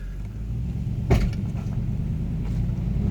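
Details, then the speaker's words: 2003 Toyota 4Runner Sport V8 full-time 4WD, 350,000 miles, under 10 mph accelerating: sharp pop then fainter pops from front driveline (transfer case or front axle suspected), any gear, forward and reverse; stops above 10 mph. "upon moderate to heavy acceleration on a flat service or uh any acceleration on uh going uphill I had here a popping noise coming from the front of the drive line"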